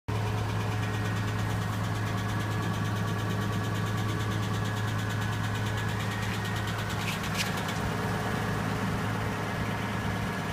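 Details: Nissan Laurel RB20E cold start in freezing temperature: a fast, even light ticking over a steady idle, from hydraulic lifters that have not yet filled with oil.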